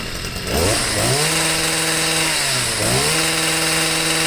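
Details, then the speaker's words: Stihl sweeper MM55 two-stroke with replacement Hipa C1Q-S97 carburetor, idle set, no mixture adjustment needed: revs up crisply and drops back to steady idle twice without stumbling; normal idle and throttle response. "and like all the other hipaa carburetors this doesn't even need any mixture adjustments throttles right up goes back down to idle"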